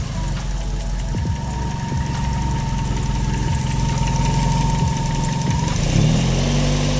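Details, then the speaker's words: Tuned Daihatsu after alternator bearing replacement and fitting a straighter pulley: smooth, even idle with steady low hum, no bearing whine or rumble; alternator charging properly, repair successful. "sounds okay. As you can see, the alternator is still charging properly, so everything was okay. We just changed the bearing."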